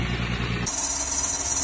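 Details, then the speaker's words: Mercedes ML350 engine running with a sudden piercing, steady high squeal from a failed belt pulley, described as a common Mercedes fault; pulley replaced. "这个声音这么刺耳为什么呢就是这个皮带轮坏掉了啊奔驰通病"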